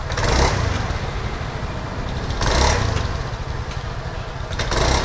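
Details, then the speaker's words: Honda Scoopy scooter stumbles and hesitates on initial throttle; fuel pressure 40.3 psi, injector, plug, air filter and reset all fine, so the ignition coil is suspected as the misfire cause. "Nah itu coba gas khasnya Bro Nah itu dia seperti pincang ya Bro tuh"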